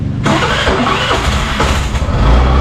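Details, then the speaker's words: 2024 Suzuki Burgman Street 125 repo scooter restarted after it stalled: quick catch, then a steady, even idle with no misses or knocks and no smoke; the engine sounds healthy. "Ayan guys, goods to goods guys. Yung unit na to, pakinggan niyo yung makina niya. Good item guys, walang usok."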